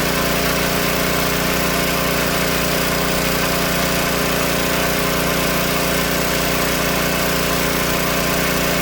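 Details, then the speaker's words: Old Tecumseh-powered generator revived after years outdoors, running with choke off, a fan plugged in as load: loud, steady buzz at even speed without stumbles or surges; putting out 115 V, though it needs slight carb tuning once warm. "Well, just need a little bit of carb tuning once she warmed up there for a second."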